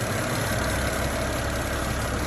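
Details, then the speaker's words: 2009 BMW 535i brought up to normal operating temperature after oil pan gasket replacement, VANOS solenoid and cam actuator work, with no leaks: quiet, even warm idle, a steady low rumble with no knocking or ticking. "Bring it up to normal operating temperature. And see what it do. Yeah, it's silent, pretty nice. So I like it."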